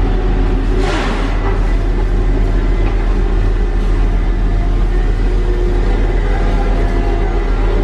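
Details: Tigercat LX830D track cutter working on wet ground after rain: steady deep diesel rumble with no squeal or chirp from the tracks. The bad track squeak heard in dry conditions is gone now that the ground is wet.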